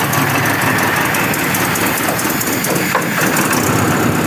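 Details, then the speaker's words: Carburettor sent in by a subscriber, previously workshop-repaired, on test: an uneven, stumbling idle that wavers and never settles, stalling when the air screw is closed; the idle mixture is lean, too much air. "Ahah. Ini berarti miskin ya. Curan miskin."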